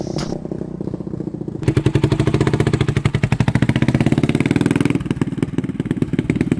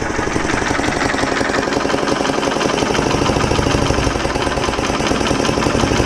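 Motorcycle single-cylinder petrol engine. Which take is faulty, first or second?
second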